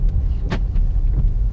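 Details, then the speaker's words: Driving a B8.5 Audi S4 with Jackal Stage 1 tune: over low road rumble, one sharp solid clunk from underneath; suspension clunk not yet diagnosed, owner says it isn't the control arms and wonders about the subframe. ">> Yeah, there was some clunking noise. I got to get that looked at. I don't like the sound of that at all."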